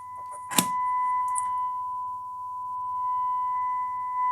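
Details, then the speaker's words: Siera 5521 / Philips 22RH521 vintage amplifier after left-channel output transistors were replaced: steady test tone broken by sharp crackles and noise bursts from a dirty balance control, which needs cleaning. "Yeah, it's all so scratchy. I really need to clean these controls here."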